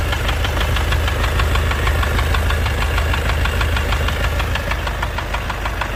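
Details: Mazda CX-7 running petrol engine, hard to start: steady light clicking about three ticks per second over a low hum, cause unknown.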